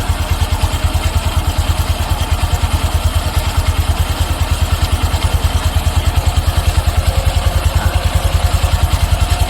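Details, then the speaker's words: Honda Wave 125 LED with a low-idle stalling complaint: as the idle screw is turned out bit by bit, revs rise to a quick, even single-cylinder thump with no stumbling. A steady, settled, correctly set idle. "ก็เดี๋เราลองตั้งครับไขออกทีละนิดทีละนิดนะอ่าเครื่องเริ่มเร่งขึ้นมาแล้วครับผม"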